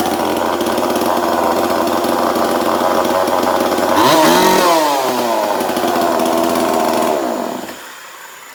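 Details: 2002 Husqvarna 136 chainsaw with new aftermarket carburetor, air filter, fuel line and filter, high/low/idle screws not yet adjusted: buzzes fast and steady without throttle, revs wander then drop; idle set too high.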